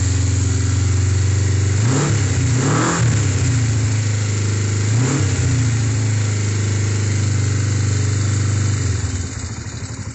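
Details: Kawasaki GPZ 500S 498cc carbureted twin, freshly serviced and rebuilt, after final reassembly: even idle with a few clean crisp blips around two and three seconds, settling back smoothly; normal idle and revving.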